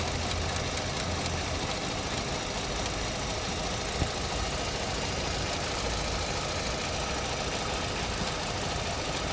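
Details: Opel Astra petrol engine shaking and knocking hard at idle with a light clicking near the throttle, knocks felt in the cabin; spark plugs and ignition coil pack already replaced, diagnostics within specs, no error codes or check engine light.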